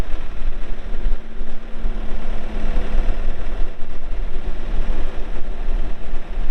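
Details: 2021 Case 580 Super N 4WD backhoe diesel with 1,159 hours: a deep, steady rumble with an even low beat and no knocks or rattles. The engine idles smoothly and sounds healthy.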